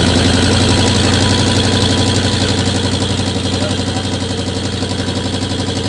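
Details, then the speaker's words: 1999 Ford Lightning V8 with Bassani headers, Borla exhaust, upper and crank pulleys, idling: quick steady puffing tick about four per second, suspected exhaust leak at header on one cylinder, bolt backed out or gasket blown. "We got exhaust leaks. That's what it sounds like to me."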